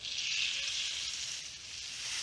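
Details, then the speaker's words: Outboard lower unit gearcase under a pressure test, soapy water on the seals: a steady fizzing hiss of air bubbling out shows the drive shaft seal is badly blown. "sometimes they don't appear as though they're leaking but they actually are so i like to keep some pressure while i really wait you know a good 10 or 15 seconds or whatever and allow it to uh to bubble up if it's going to"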